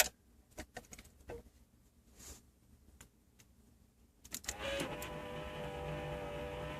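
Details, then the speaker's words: Aftermarket power antenna motor on a lifted truck, heard inside through the panel with radio on: after a few clicks a strong steady whine starts and holds, far louder than the stock unit; owner wants to return to stock. "So now you can hear the antenna motor through the panel, through everything."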